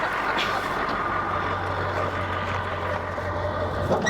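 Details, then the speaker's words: 23-year-old Ford F-250 diesel truck with over 513,000 miles. A steady, even diesel idle with a smooth low drone, no misses, knocks or smoke. It runs healthy. "That runs smooth, nice and smooth. Any smoke come out? Nope, It don't smoke."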